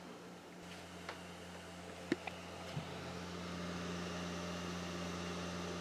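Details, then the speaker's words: Owner's own Xbox Series X as reference, same disc loaded: quiet, steady low hum with soft whir and light ticks, disc spinning smoothly; normal drive, owner thinks it slightly quieter than the repaired console. "I think mine is a little bit quieter"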